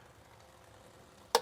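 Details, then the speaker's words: Cheap truck's front wheel turned by hand with a torn CV boot; quiet then a sharp dry snap; clicking suspected from the torn boot catching and snapping back; separate binding on sharp turns unexplained. "So, I think that is our clicking noise I'm hearing is the boot getting caught right where it's torn."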